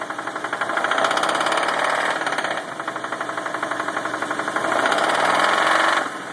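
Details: 1995 Nissan Pathfinder VG30E V6 with hydraulic lash adjusters: fast steady metallic knock about four per second rising and fading with throttle; owner suspects rod knock, bearing or faulty knock sensor.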